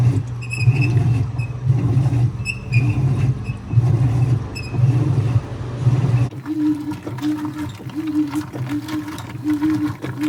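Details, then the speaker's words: 2011 Whirlpool Cabrio Platinum (WTW8200YW0) direct-drive washer before its bearing replacement, agitating a much larger towel load: heavy rhythmic strokes about once a second with a deep rumble underneath from the bad tub bearings, still moving clothes. "clip for this was a much larger load of towels, but you could still hear it. The bearings were bad, but it was still moving stuff around."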